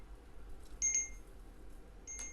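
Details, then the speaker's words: Realme T300 earbuds, held near the mic: two short, high, clear beeps about a second apart in a quiet room; find-my-earbuds locator tone, loud enough to find them. "यह काफी तेज आवाज है मतलब इतनी sufficient है कि इस feature की हेल्प से मैं अपने यर बड्स को भी इजली सर्च कर सकूं"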